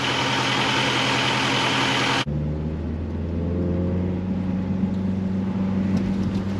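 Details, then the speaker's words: Honda Civic with G23 VTEC swap, previously stalling at stops with no CEL; after recalibrating the out-of-spec throttle position sensor, engine warming up holds a smooth steady idle near 500 rpm without dying. Normal idle. "Not dying anymore. It's holding on to about 500."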